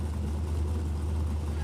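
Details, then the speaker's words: Roadkill muscle truck V8 jet boat, replumbed fuel and rebuilt cooling system, run on the trailer in the lake: smooth, even low rumble with no misses, knocks or surging; engine healthy. "Now, we need to dunk the boat back in the lake, fire it up on the trailer, and see if there's water peeing out of more than just the jet drive."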